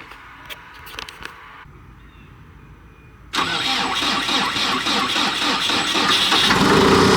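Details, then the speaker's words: Cat D3K2 dozer diesel, complaint of rough running, power loss, RPM fluctuation and white smoke: catches after about three seconds and settles into a steady, even idle; normal start; DPF soot load reads only 12%. "There is no ash reset, so I'm just gonna go ahead and we're just gonna fire up this dozer and see what it does, and see what the soot load percent does once it's running and everything is on."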